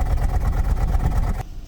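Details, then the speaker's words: 2004 Toyota Celsior 3UZ V8, cold, heard at the tailpipe: uneven, stumbling low thumps at idle. It smooths out around 2000–3000 rpm as it warms, with no engine codes stored. Rough idle, cause not found. "listen to it right it is actually cold we might just let it warm up so I can do a backtack comparison leten do it out the back so using our ears we know something's not right"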